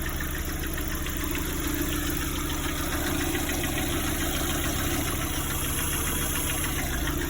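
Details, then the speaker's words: Lada Priora, 58,000 km, warm idle: a light, fairly quick tapping of about three per second over the engine drone. It appears only once warm, not when cold. Owner says not hydraulic lifters, suspects piston. Engine knock, cause unconfirmed. "Как будто поршень, что ли, стучит. Да, только при нагреве начинается. Когда у меня холодный, ничего, нагревается машина, начинает такие звуки делать."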